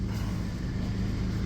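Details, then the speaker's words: Kia Soul with about 267,000 km after backyard exhaust repair with new pipes, manifold studs and gaskets: low, even idle hum with no blowing, ticking or rasp; exhaust sealed and quiet. "Perfect. It ain't loud."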